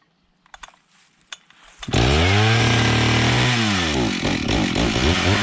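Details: Stihl 031 AV chainsaw (about 1974–76), carb cleaned after about 5 years unused; a few pulls, then it fires and screams to full throttle cutting sassafras firewood, bogging slightly in the cut and recovering cleanly; healthy running under cutting load.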